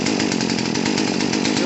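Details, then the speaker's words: Poulan P3314 two-stroke chainsaw after carburetor and fuel line replacement, choke off: low, slightly uneven idle buzzing; idle speed too low, corrected by turning the idle screw up. "that sounds about right idle's a little low"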